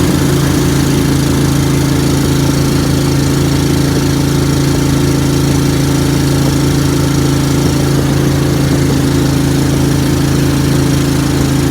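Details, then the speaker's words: Briggs & Stratton Vanguard V-twin dual-carb Mud Buddy boat motor, freshly rebuilt after flat cam, ride on water: steady low drone with uneven throb, audible pulsing off the carbs and a little stumble coming out; running rich, needs tuning. "one thing i'll say is uh the noise off the carbs you can definitely hear that pulsing off the carbs it's kind of in your ear uh we got a little stumble coming out"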